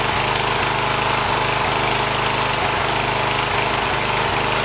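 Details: 1980 John Deere 212 lawn tractor's small single-cylinder engine, after replacing the leaking crank seal, on a cold day: it runs steady and even with a regular firing beat and no misses or knocks, and no leak is seen.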